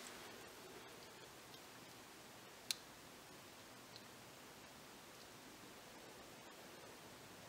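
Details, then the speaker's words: VW 2.0 TSI fuel injector, cleaned and bench-tested on a battery with jumper leads once a good connection is made; one crisp, sharp tick in a quiet room as power hits; injector opening normally. "come on get on there all right you can hear it click I have a connection"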